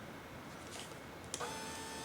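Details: Quantum 4front 1 wheelchair with R-Net electronics, Permobil firmware reloaded, intelligent seating module in seating mode: a click then steady mid-pitched motor whine holding evenly as the seat actuator (tilt, labelled recline) drives normally.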